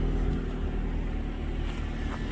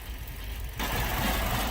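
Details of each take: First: Ford Focus that ran terribly with lean code P0171 and a secondary code, after repairing a broken air box leak (found by spraying flammable brake clean) and clearing codes: low, even idle with no hunting or stumbling, one brief clunk; smooth normal idle. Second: Ford Focus with lean code P0171 plus a second code runs terribly at idle, visibly vibrating: uneven, lumpy, shaky low rumble that never settles; rough idle from unmetered air leaking past a cracked airbox.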